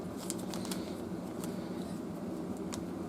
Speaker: This one is a mechanical device, obviously, as you hear the clicking and the gears turning inside.